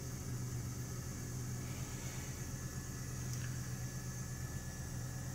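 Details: 1996 Buick Century 3.1 V6, about 134,869 miles (likely more), after three months sitting, little gas added: steady even low hum, no misses or knocks, smooth idle.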